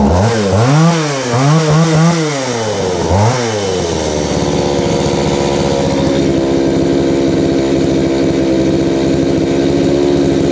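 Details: Craftsman 3.7/Poulan 3700 chainsaw with new carburetor and fuel line, after high-speed screw adjustment cured a bog: revs climb and drop cleanly a few times, then hold a steady, high, even full-throttle buzz without bogging. It runs well with good power.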